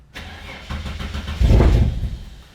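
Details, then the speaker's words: Turbo Ford Fairlane, first start attempt on a new Haltech ECU: engine cranks, catches for about a second with rough surge, then dies; injectors and spark work, no idle control set up yet. "Oh! It did something! It did something! It fired. It didn't stay running though."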